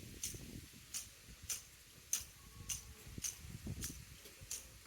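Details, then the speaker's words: 2009 Land Rover Discovery 3, 150k miles, during timing belt change: old tensioner pulley spun by hand gives sharp regular ticks just under twice a second over faint rumble, not smooth compared with the new one; rough worn tensioner bearing. "I'm sure where that's the camera will be on this but that is definitely not sounding smooth on the new one that's my fingers is the bit that you can hear"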